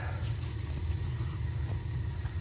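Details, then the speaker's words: Burnham gas boiler after the vent damper opens; the gas valve gets 24 volts after a long delay. The burner lights into a low, even roar that holds steady with no popping or surging, firing normally. "It's almost open. Gas valve gets 24 volts. It's a long delay there. There you have it."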